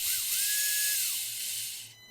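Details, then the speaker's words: WLToys K969 1/28 RC car after cleaning brushed motor and contacts, excess bearing oil blamed: clean even whine spins up, holds steady pitch, winds down smoothly, good low speed, much less sparking and smoking; normal running after repair. "seems better it's got good low speed [Music] a lot less sparking and smoking I think it was just super dirty and a little bit too much oil on the bearings got into the contact"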